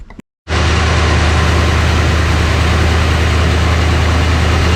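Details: 1966 Ford Country Sedan FE big-block after a big solid-lifter cam swap, timing set and breaking in, some smoke from one side: after a brief dropout it settles into a loud, steady, slightly lumpy idle with a deep even exhaust beat. Normal idle.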